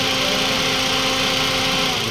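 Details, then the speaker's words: Toyota Vios with 2NZ engine, earlier dropping idle and stalling; brittle purge valve hose at the intake manifold caused a vacuum leak and was re-seated. Now a smooth, even idle with a steady hum and no stumbles or misses. "So okay okay na po ung ung kanyang idle ngayon kaya simpleng problema lang pero laki po ng epekto pagka namamatayan kayo ng makina"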